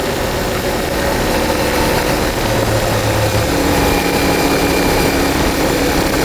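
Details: CFMOTO IBEX 450 after TEAM MSC ECU tune, previously surging and jerking between 3500 and 5500 RPM: midrange engine pulls with a steady even drone, no surging or hunting; running smoothly.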